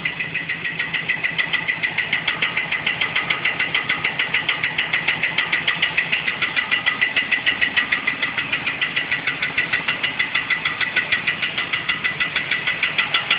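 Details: 1969 Mustang coupe with automatic transmission, first start after engine install, idling and revving: fast even metallic ticking about three per second with bright ringing tone; ringing knocking noise of unknown source.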